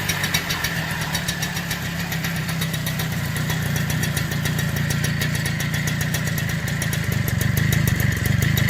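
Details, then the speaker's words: Super XL bike revved after silencer cleaning and refitting: steady low-pitched popping exhaust rising evenly with throttle, no rattle or misfire; normal healthy engine running. "Hi friends, మేము muffler బిగించాము, ఒకసారి bike sound వినండి. ఇది అసలైన శబ్దం."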